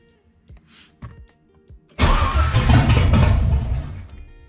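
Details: Nissan 300ZX with an LS1 swap and Holley Terminator, first start: a few failed cranks, then the engine fires and runs rough before settling; it was running rich per the MAP reading. Hard start.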